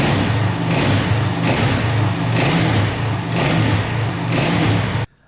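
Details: 2004 DVX 400 quad after repair of every bent valve: new valves, valve seals and cam chain; warm-up run with steady, even single-cylinder beat, gentle throttle swells, no ticking or knocking, valves closing properly; normal running.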